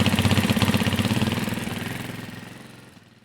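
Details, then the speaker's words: Carbureted Janus 250 motorcycle at full operating temperature, idle screw turned back down so the engine won't rev on its own: even, steady single-cylinder putter at a settled idle, no hunting or surging; idle correctly set. "so I'm going to turn this back down there you go how you adjust your idle on your 250 carburetor"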